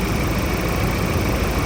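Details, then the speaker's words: Steady, even diesel idle from a Ford Raptor after engine work and replacement of all four injectors, smoother than before with no knock, miss or rattle; injector coding is still to be done. "โอ้โอ้เหมือนได้รถใหม่เลยนิ่งกว่าเมื่อวานอีกนะครับนิ่งกว่าคลิปที่แล้วนะครับ"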